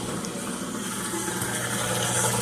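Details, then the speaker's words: Amana front-load washer in diagnostic mode, drain pump test: even motor hum under steady gush of water; drain pump runs normally with good water flow. "The drain pump is working. So that's good. We have good We have good water flow."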